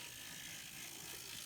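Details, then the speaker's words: N scale Kato SDP40F locomotive test-run on track; thin, high buzzing whir with fine ratcheting grit instead of near silence because the truck sits too close to the worm gear. "so basically the truck is sitting too close to the worm gear and that's where i'm getting noise"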